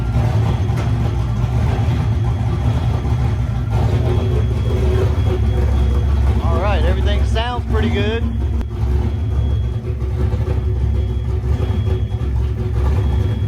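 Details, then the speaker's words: Boosted Fox-body Mustang first start after repair of over-boost damage, everything torqued, cranked with coil unplugged then fired: deep steady rumble with a few quick revs that pick up and settle cleanly; normal running. "we're gonna spin the car over and then we'll plug the Kolo we're gonna try to fire it up and see"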